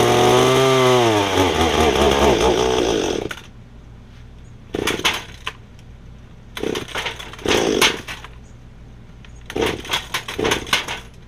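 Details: Echo hedge trimmer small two-stroke before repair, old brittle fuel lines: revs unevenly, pitch wavering and sagging about three seconds before dying; poor running, carburetor suspected, later fixed by Walbro carb rebuild, new primer bulb and fuel lines.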